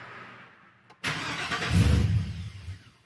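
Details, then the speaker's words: 1999–2002 Chevy/GMC NBS truck after an electric fan swap, battery and computer disconnected: brief starter crank, then it catches, flares up and settles to a low idle; longer cranking expected after battery disconnect. "oh when you disconnect the battery and especially the computer it's gonna take a couple cranks to get this thing started so don't be scared"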